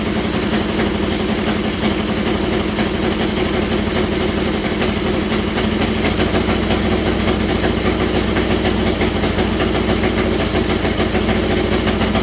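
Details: Buggy engine first fire-up on old gas after harness and battery hookup; sharp rapid puffing ticks over rough idle in step with firing from an exhaust leak where a left exhaust manifold stud stripped and was falling out.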